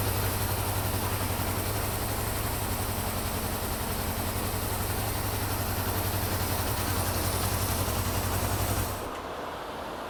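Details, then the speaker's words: Honda CB550 four-cylinder at idle after carburetor sync: steady, even idle with a constant low hum until it cuts off; idle now adjustable from about 500 up, showing carbs are synced; normal idle. "so as you can hear the idle is adjustable now I can put it down as low as like 5 00 all the way up to 10,000 if I wanted so that's a good way to know that the carbs are now synced"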